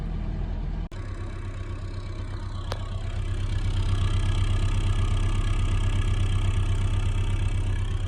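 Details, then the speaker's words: Ford Escort Mk3 1.1 Valencia/Kent OHV engine after water pump replacement, running about 10 minutes and warm, temperature gauge fine: low, even, smooth idle with no knocks or whine; healthy. "so it's been it's been running now for about 10 minutes it looks pretty good you can't really see yourselves but that sound that's the old cat"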